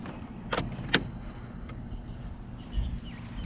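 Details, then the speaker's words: VR6 car on a cold start attempt while its battery is being charged: one sharp click on the key turn and no cranking, so the engine never turns over. The owner thinks it needs an ignition relay, which is not confirmed. "sounded promising. It only clicked once."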